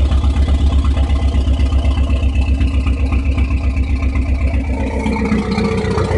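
Loud, lumpy idle that surges in a steady beat about four times a second; the idle is uneven, cause not evident.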